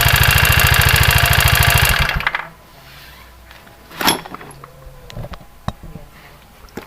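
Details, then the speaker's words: Honda Vario 110 run with CVT roller housing removed, no load: harsh rapid rhythmic rattle, three to four beats a second, noise persists; engine ran out of oil, piston and rings judged damaged. "Dan saya tadian ketemu konsumen yang punya motor, dan ternyata motornya telah kehabisan oli. Dan dipastikan ini sehernya kena atau piston."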